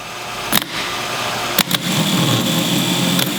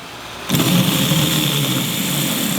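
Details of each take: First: MGC M418G starter motor bench-tested off a big battery charger: a thin lazy whine with sharp clunks as the Bendix engages. Turns far too slowly; connections being checked. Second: Starter motor bench-tested with power fed straight to the motor lead, bypassing the solenoid. It spins up at once to a steady, even whirr with no grinding or stutter, so the motor itself sounds good.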